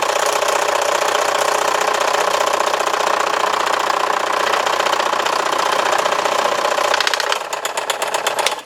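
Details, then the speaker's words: Scroll saw cutting a small piece near the end of the cut: a steady rapid buzz turns to choppy clatter as the workpiece grabs and climbs up the blade. This can happen with a bad tooth or a grippy blade; a push piece and firm pressure prevent it. "and you saw at the end it was trying to fight me and climb up"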